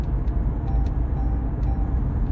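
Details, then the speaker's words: 2013 Toyota Prius T3, front wheel bearing failed: steady low droning whir like a helicopter under road noise, prominent at 30 mph and above at cruising speed; worn front wheel bearing. "I've got toyot Prius T3 about it it's a 2013 plate and the the bearing's gone on the front and I can hear it um I'm going to speed up a bit it sounds like um helicopter a woring noise"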